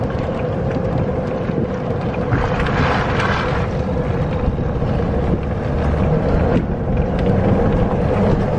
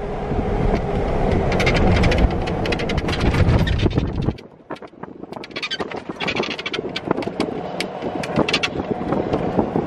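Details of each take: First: Electric golf cart with aftermarket extended roof, after rubber insulators were fitted against metal-on-metal contact: steady low rumble and wind while driving, even over bumps and corners, with no roof squeaks or rattles. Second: Golf cart with aftermarket extended top rolling on a rough path: irregular creaks, clicks and rattles from metal-on-metal roof mounts lacking insulators.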